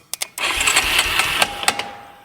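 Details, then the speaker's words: 1996 Yamaha Big Bear 2WD ATV, starter powered directly from a jumper box: after sharp clicks it spins the engine briskly and evenly; starter works fine, owner suspects no-start is due to the neutral/gear position switch. "Okay, starter works just fine."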